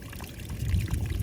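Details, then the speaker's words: Leak in the irrigation poly pipe on a potato field: low, gurgling rush of water spilling out steadily and swelling slightly; minor leak, not too bad. "That noise you heard in the background was got a leak right here"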